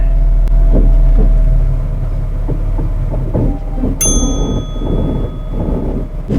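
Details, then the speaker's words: BA/BF Ford Falcon ute rolling: irregular heavy clunks and knocks about four a second from the front end; the lower ball joint is separating from the lower arm. The owner first thought the wheels were rubbing the fenders. "well that my friends are the ball joints what I thought was initially the wheels were rubbing on the fenders"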